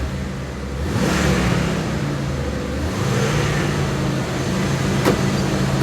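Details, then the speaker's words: Jeep, just started after sitting, check engine light on: low slightly uneven rough idle that smooths when throttle is blipped; oil pressure about 50 psi. "Check engine lights on, but it's idling. Engine lights on? Yeah, we'll scan it later. But it's alive. A little rough."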